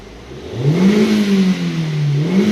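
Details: Hyundai, about 156,000 on the clock, check engine light, previously stalled while driving: hard revving with uneven wavering note, scanner shows cylinder 3 misfires; spark leaking over cylinder 3 plug insulator.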